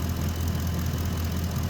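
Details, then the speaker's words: 2010 Ford F-150 5.4 V8 warming up after an oil change: quick, light ticking over lumpy idle from both exhaust manifolds, despite two manifolds and stainless bolt kits replaced per side; ticking fades when hot from expansion. "you can hear the exhaust manifold ticking again and it's both sides"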